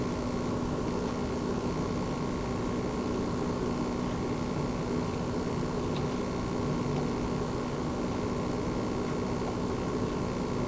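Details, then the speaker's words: Launch-day base PS5 running Gems of War, heard from right on top of the console. Only a faint, steady airy hiss with a low constant hum, no whine or rattle; the fan runs very quietly and normally, barely audible. "right so again very very quiet indeed just the very slightest fan sound I can hear but I'm literally sitting right on top of the PlayStation 5 right now"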